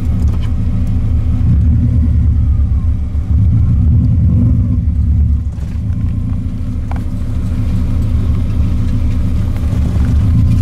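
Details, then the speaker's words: Subaru 22B project car, driving after ignition coil conversion: deep, steady engine rumble under light road load, smooth with no knocks or rattles, sounding like a Subaru for the first time. Normal running. "Ça sonne comme une Subaru pour la première fois."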